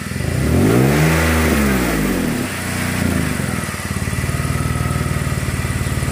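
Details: BMW 525i Touring: engine revs up and falls back, then settles into a quick, steady puffing tick; suspected exhaust leak that comes and goes, location unknown.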